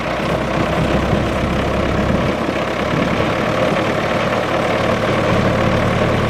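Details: Howard 80 rotovator small petrol engine, first start after a new rotor seal and bearing carrier, hinge and height-adjuster repairs, settles into a steady, even running note with no knocks or misfires; normal running.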